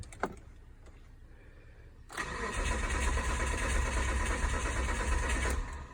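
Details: 2006 Mitsubishi Endeavor LS with new starter and crankshaft position sensor: starter spins the engine about four even beats a second for three seconds but it never fires; cranks without starting, owner checking fuel supply.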